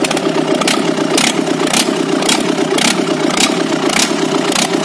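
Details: JCB Kirloskar 4R1040 diesel first start after rebuild: settles into a steady, even idle with regular clatter and no knocks or misses; healthy normal running.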